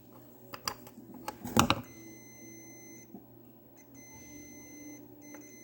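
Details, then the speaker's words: Fordson Major E27N horn: probes click on the cleaned, filed horn contact points, then a steady multimeter beep confirms continuity. "So there, you can hear the meter beeping. We've got continuity."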